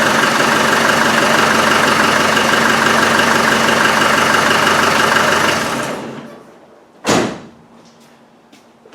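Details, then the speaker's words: Land Rover Defender 110 (Malawi 110), exhaust refitted, started via power probe since the security system was removed: an even diesel idle clatter, then switch-off. It fires okay and the back pressure is gone. "fires look okay there's no problem with it and there's no back pressure"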